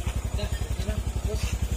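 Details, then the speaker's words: Honda Click scooter after repairs to a bought engine with many problems: steady low idle putter, even pulses, earlier ticking gone; now quiet, normal. "Ayan, tumahimik na. Hindi na yung umpisa."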